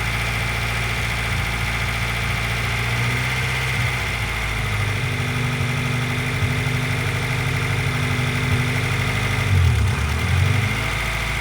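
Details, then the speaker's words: Honda CR-V petrol engine idling high, then stumbling and nearly stalling, audibly misfiring while a vacuum tester is connected; misfire with rough idle, cause found but parts awaited. "It is idling kind of high right now. Uh, you can probably hear it misfiring."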